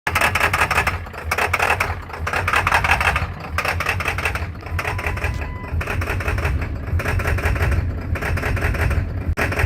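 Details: 2003 Ford F350 7.3 Powerstroke diesel: heavy clatter over low rumble with uneven loping idle about once a second, hard start; shook and lacked power until warm; failed, corroded IDM found, only 3 of 8 injectors buzzed healthy.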